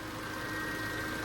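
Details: Peugeot 207 after head gasket rebuild and timing belt replacement for a snapped belt: steady fan whoosh and hum over a smooth idle that never cycles off, temperature rising, no cabin heat; radiator fan running constantly, owner suspects the thermostat.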